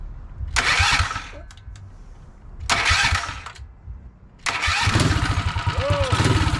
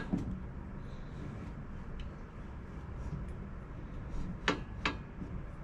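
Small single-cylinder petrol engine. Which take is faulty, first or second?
second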